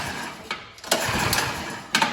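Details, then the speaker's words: Troy-Bilt snow blower (model 31AM6CP3723), suspected water in the fuel, throttle at half: quick pull-cord yanks give brief sputtering catches that die at once; a failed start. "all right try this again I might have flood it let me take the choke off"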